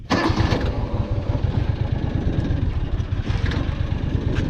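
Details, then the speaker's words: 2002 John Deere Gator utility vehicle starting and idling: quick catch after cranking, then steady low single-cylinder putter with no knocks or misses; owner says it runs really good. "yeah, she runs really good."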